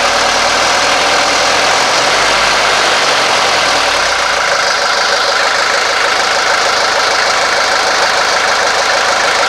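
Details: 1983 Mercedes 240D diesel after throttle linkage repair and lubrication: steady diesel clatter at even idle beneath heavy hiss, no misses or hunting; healthy idle.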